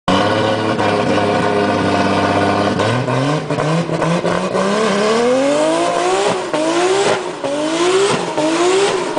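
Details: Naturally aspirated Toyota Supra converted to turbo, misfire issue before a race: repeated hard revs climbing in pitch, broken by brief stumbles and dips; sounds like a misfire under load, cause not confirmed.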